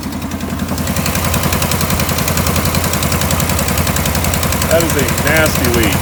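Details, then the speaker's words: 2015 RAM 5.7 HEMI at idle after installing aftermarket DIY headers with new studs and gaskets: sharp, steady puffing tick at firing rhythm from an exhaust leak at the passenger-side header gasket; driver side quiet. "all right so quick little side note driver's side is quiet as a mouse the passenger side is leaking pretty good good"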